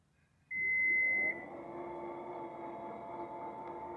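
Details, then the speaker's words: Toyota Highlander electronic liftgate after silicone spray lubrication fixed its squeak on closing: a short warning beep, then a smooth, even motor whir with no squeak; normal operation. "No more greasy noise. Okay, problem fixed."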